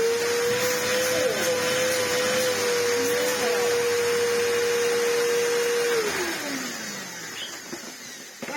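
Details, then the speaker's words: Samsung SU-2911 Jet Propel Light bagless vacuum after its filter and air path were cleaned: a steady motor whine at one pitch with an even rush of air, then a smooth wind-down; the earlier weird noise with the airflow blocked is gone. "very good and it isn't making that weird noise whenever I fully block off the airflow so I think we've done something good there"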